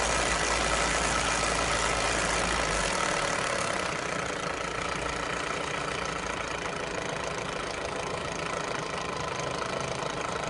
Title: K11 micra rattling noise!